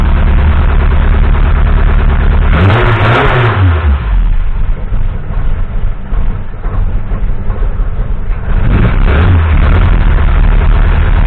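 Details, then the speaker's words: Mk1 Cortina restoration, first run of the newly fitted engine with no coolant system, fabricated fuel line and pressure regulator: blips up twice with a ragged, uneven rise and fall; owner blames ignition timing not yet done and fueling slightly off. "there's a bit of a stutter but that's because um still to do the ignition timing properly and get the fueling tweet clearly off a little bit"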